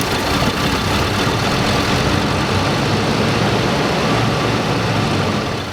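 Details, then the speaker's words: Abandoned 1987 Oldsmobile Cutlass V6, long sat with tank apparently empty despite gauge, fuel poured into carburetor to fill float bowl: catches, runs rough and uneven with MC solenoid clicking, then sags and dies; spark confirmed, fuel starvation stall. "Hey, all right, fired up, so I know it has spark, and the carburetor's making noise too, so that clicking sound means that the MC solenoid in the carburetor is good."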